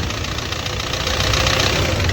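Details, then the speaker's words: Audi Q3 2.0 TDI diesel with code P0016 (crankshaft position sensor): heavy, rapid rattling knock over idle with wrong timing, caused by a camshaft plate missing a tooth; fixed by replacing the cam plate. "दिया काफी आवाज कर रहा है नकिंग करहा देख सकते हो कितना डेंजर नकिंग कर रहा है"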